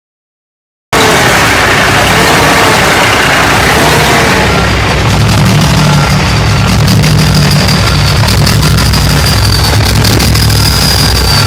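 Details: 2005 International 9400 with Cummins ISX diesel: very rough, lumpy, stumbling idle; warped lift pump mounting plate let air into the fuel system; dash beeped and speedometer needle dropped.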